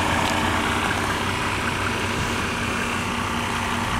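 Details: 1987 Mercedes-Benz 300D diesel with original Mercedes muffler and silencer, before exhaust change: even idle clatter about two to three beats a second, smooth; normal diesel idle.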